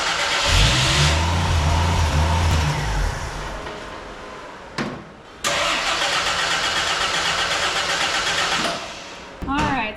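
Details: 1983 Jeep CJ7 after new fuel pump and carburetor cleaning and refit: steady rhythmic cranking, about two to three turns a second, never catches; crank-no-start, a fuel line leak possibly starving it of fuel.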